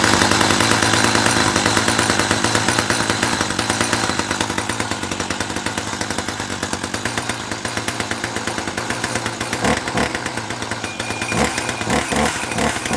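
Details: 1984 Dolmar 100 two-stroke chainsaw, started after repairing its snapped throttle linkage: a loud, raspy buzz with steady rapid firing that holds its revs and picks up cleanly, running healthy.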